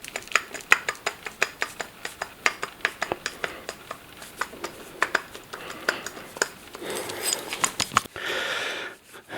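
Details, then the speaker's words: Audi A3 driver's side front wheel bearing turned by hand, wheel removed: irregular sharp clicks and rough clatter about three or four per second, with side-to-side play; caused motorway-speed rumble and vibration, clutch-independent. "you've got side to side play and you can really hear the bearings"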